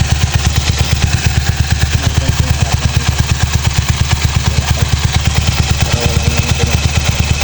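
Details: Yamaha Mio Sporty scooter after replacing a loose pulley collar that caused knocking in the pulley; even, steady thumping idle at about two beats a second with no clatter from the pulley, drive side healthy.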